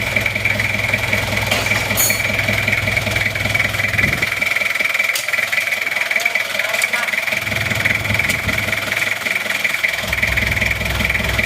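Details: Toyota Kijang LGX diesel after valve clearance adjustment (one shim replaced), running at idle without the air filter fitted; even diesel idle with regular clatter, the earlier "bok bok" puffing gone, smooth and even.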